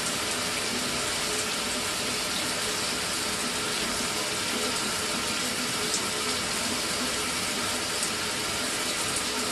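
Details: Mira (Zora) shower after replacing the faulty solenoid valve that made flow stop and start intermittently a few minutes after switch-on: steady, unbroken hiss of running water with no surges, sputters or cut-outs; normal flow after repair.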